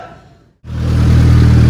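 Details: Honda Civic R18 with a built shortblock, first start after the build and after sitting a long time: fires right up and settles into a steady, even, deep idle with no knocks or ticks; sounds healthy.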